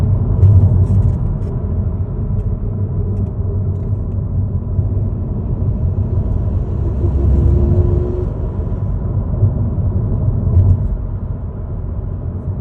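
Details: Ford Focus Mk4.5 mild-hybrid (MHEV): low engine rumble swelling under throttle with a brief faint whine partway through the pull; strange noise under acceleration, cause unclear.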